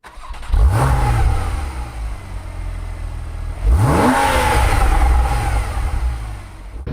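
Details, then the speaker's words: 1971 Porsche 911 flat-six during pre-purchase inspection, warmed up before a test drive: two clean throttle blips rise smoothly and fall back to a steady even idle, no knocks or rattles; healthy engine. "We got it running. It's idling pretty good. It's warmed up and ready to go."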